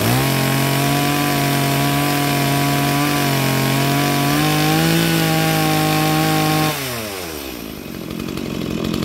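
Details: Stihl MS170 chainsaw, roadside find, first start in years: crisp, even two-stroke buzz at steady revs, winding cleanly down at shutoff; running smoothly.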